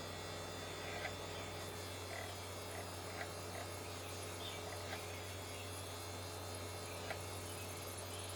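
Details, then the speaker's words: Original Xbox DVD drive after repair (previously suspected busted drive belt) slow to load a game: quiet whir and hum with scattered soft clicks every couple of seconds as the laser jumps back and forth seeking; disc eventually found but loading is slow. "taking an awful long time to load i can hear hear it jumping back and forth looking"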